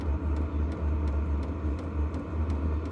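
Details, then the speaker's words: New Vevor 8 kW diesel heater in its first startup warm-up (stated 35 minutes to heat up), still smoking a little: even low rumble with faint ticking about three times a second as the fan ramps up. Normal warm-up. "we're going to give this a little B it speeding up you can hear it ramping up this is pretty cool"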